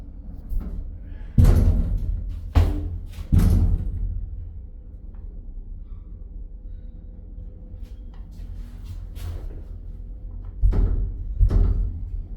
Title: UK 🇬🇧 England's Scariest Lift Ever Woth Loud Bangs & Creaking Sounds.An Accident Waiting 2 Happen!!